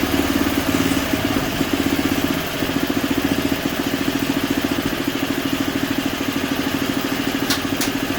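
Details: Simplicity 560 snowblower single-cylinder engine after a tune-up: new oil and spark plug, clean carburetor, electric and pull starters fixed. Steady, even beat with no misfires or stumbles. Running smooth and healthy.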